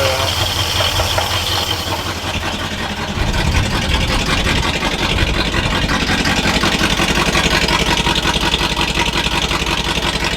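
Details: All-original 1962 Chevrolet C20 3/4-ton pickup, automatic, sat over 60 years, first start on choke after replacing fuel pump (suspected failed diaphragm): engine settles into a steady, even idle, low regular beat, no misses or knocks.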